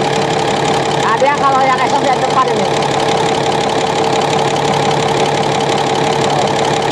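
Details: Komatsu SAA6D140E-5 diesel, first run after engine work including injector gasket replacement, checking that oil is rising: steady even idle hum with light regular valvetrain tick, no knock; oil seen rising, healthy.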